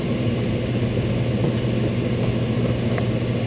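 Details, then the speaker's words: Intertherm electric furnace with heat on and heat strips drawing about 19.8–21 amps each: even airflow rush with a steady low hum and no rattles or clicks. Normal running. "and that one's also running at 19.8 amps so all of them are running"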